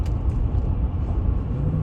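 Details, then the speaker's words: 2013 Silverado 5.3L on a road test: a deep, even engine rumble under load with no stumbles, running smoothly with zero misfires recorded. "Running smooth as can be."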